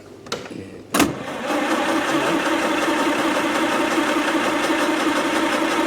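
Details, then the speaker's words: 1929 Austin Heavy 12, engine after magneto, dynostart and carb checks, extra fuel added to the float: sharp pops then uneven labouring, coughing but not catching; fuel later seen pouring from the back of the carb. "it's definitely wanting to go it's coughing come on that"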